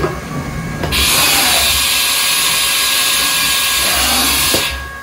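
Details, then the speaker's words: Used Haas CNC mill inspection, ATC forward in MDI: clean four-second high whir starting and stopping crisply with light clunk at each end; tool changer switches and solenoids working. "it goes through that that means all your switches all of your solenoids everything is pretty much working"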